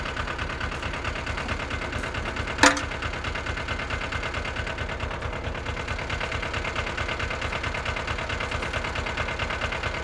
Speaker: but it runs pretty good as you can hear it's pretty simple ain't all that big